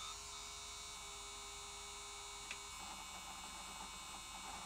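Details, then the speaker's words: Sony J-30SDI Digital Betacam player powered up with the capstan motor exposed; thin high whine and buzzy hum that shifts with a faint tick as the capstan twitches, unable to reach position: capstan motor noise, judged a bad capstan motor. "yes that's still not a happy capstone as it's making those noises i can see the capstan twitching it's like it can't get to the position it's trying to get to"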